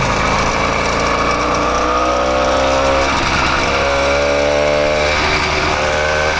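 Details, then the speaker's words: 80cc two-stroke motorized bicycle after tightening the clutch to stop slipping and noise: even, buzzy running rising and falling smoothly with throttle, no knocking or clatter; clutch was the noise source, normal running. "Way quieter now that I fixed that clutch problem. That was definitely a problem with the clutch. That's where all that noise was coming from, 100%."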